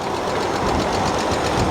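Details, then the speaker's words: 2003 Hyundai Sonata, sat a long time with no coolant and dead battery: light, quick persistent ticking over a rough idle; top-end tapping, suspected lifters or valve lash adjusters, timing belt possibly never replaced, unconfirmed. "so you get a lot of chatter from the lifters SL valve lash adjusters but this this is a pretty persistent tick I doesn't sound good guys"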